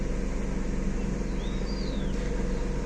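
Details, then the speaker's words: Chevrolet (Aveo/Optra/Corsa type), warm engine at about 1300–1400 rpm with the throttle plate 5% open on the scanner: a steady raised idle with no dip or hunt. "el problema que vamos a solucionar en este vehículo es el ralentí que se encuentra demasiado acelerado ya como podemos observar el vehículo se encuentra a aproximadamente unos 1300 rpm"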